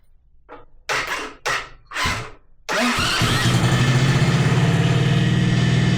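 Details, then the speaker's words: 125cc drift trike engine after fixing ground wiring, cold with choke on then off: a few cranks then catches into a quick even idle with steady pulses, no misses; normal cold start and idle. "It's running now. Good. Yeah, it sounds good. The choke is on, off... but it's not warm yet, so I think that will be okay."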